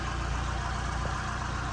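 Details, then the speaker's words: 1982 Ford Cortina MkV 2.0 Ghia automatic, Pinto engine, heard with the bonnet open: steady, quiet idle with an even low hum and no knocks, ticks or misses; healthy normal idle. "Have a little listen to that engine. Knowing these Cortinas as I do, I can assure you that's a quiet Pinto."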